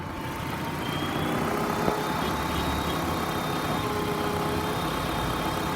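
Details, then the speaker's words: 2014 Nissan Versa Note, 1.6L four-cylinder, about 130,914 miles, bad transmission, warmed up for 30 minutes after misfiring at start; revved in park, the engine barely climbs, a flat sluggish rise instead of a proper rev. "Doesn't really rev up when you accelerate it in here."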